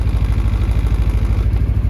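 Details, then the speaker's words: 2023 Massimo T-Boss 760 EPS side-by-side, 119 miles, idling; light, fast rattle riding each engine pulse from a door sitting loose on its latch, which can allegedly be adjusted out. "these doors can allegedly be adjusted and it takes that rattle out where it's on the latch there, okay?"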